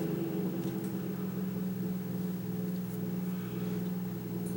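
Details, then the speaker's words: Kaz V3100 evaporative humidifier fan at low speed: low steady hum with a rough growl underneath; rumble caused by a broken fan mounting post. "a little bit of a growling going on there and i want to see if we can see if we can do something about that here"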